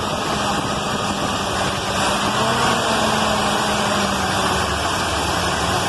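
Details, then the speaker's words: Carbureted points-ignition car after the dwell was cut from 40 to 30 (spec 26–33) and the idle lowered; the idle wanders up and down and won't settle, still stalling. Owner unsure whether the cause is the carburetor or the points. "but it still still won't stay idle in and it's still crapping out I don't know if that's carburetor or if I still need to replace the points or not"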